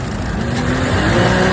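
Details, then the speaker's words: Same used car after cleaning both fouled camshaft solenoid valves, which had caused a crank no start: starts first try, strong smooth rev climbing steadily with no misses, knocks or rattles; engine runs smoothly and pulls cleanly. "你看，发动机运转的多么平稳，稳如老狗，怎么样？"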